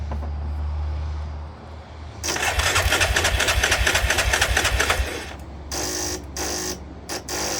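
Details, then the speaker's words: 1998 Yamaha Grizzly 600 ATV, on fuel reserve: quick regular clatter about three times a second while cranking, then catches and runs unevenly; owner guesses the clicking is the solenoid, not confirmed. "yeah I'm guessing that's the selenoid when it's doing that"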